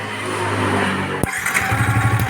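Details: Yamaha New Vixion motorcycle that wouldn't start, after replacing a faulty relay and jumpering a missing ground wire from the starter button: starter whirs briefly, then the engine catches and settles into an even, pulsing idle.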